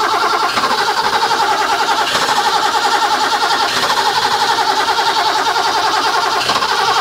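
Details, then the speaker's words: Barn-find 1980s BMW E12/8 M535i Lightweight (1 of 7, South African market), fuel-injected, untouched 30 years, on a temporary external fuel pump rig: a steady cranking whir pulses about every 1.5 s with no firing. It cranks but won't start, and fuel pressure is unknown. "give the starter a rest yeah well it needs a fuel pressure gauge as well isn't it because we don't know whether we don't know if it's even got any pressure"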